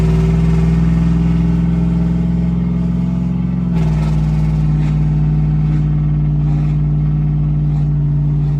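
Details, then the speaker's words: Cammed LS Tahoe after repair for a misfire that returned despite new plugs, wires and O2 sensor, muffler fallen off: loud open exhaust pulling smoothly under throttle, deep steady tone with no stumble or miss; misfire and poor acceleration at quarter-half throttle appear fixed. "All right, we fixed it. She's running top. She's running really good."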